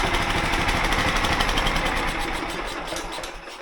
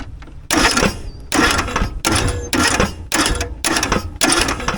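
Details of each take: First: John Deere mower/tractor with a replacement 16hp engine, just started: loud, even single-cylinder beat with no misses or knocking, fading as the listener walks away; voltage peaks at 13 V, showing the stator is charging. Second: John Deere riding mower's original engine, run with no oil, smoking and losing power, cranks fast and even in repeated bursts with no compression resistance or labouring beat; compression test reached only 40 psi, engine worn out.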